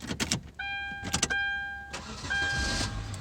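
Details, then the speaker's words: Hyundai Sonata towed in as a crank-no-start: short crank with starter whine, catches first try and settles to a steady, even idle. The fault isn't acting up; the fuel pump is checked next with a current clamp. "just love when a car gets towed in because it's a crank no start and as soon as it gets dropped off with a tow truck or the started and it starts right up first try"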